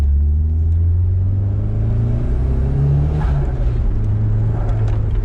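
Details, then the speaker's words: Nissan 180SX SR engine with new S15 T28 turbo replacing a blown one, stock manifold, about 7 psi boost: deep drone climbs cleanly at full throttle without misfire, pulling harder than the old turbo did on 12 psi. "It actually pulls hard, and it's only on like 7 pound. It's pulling harder than before."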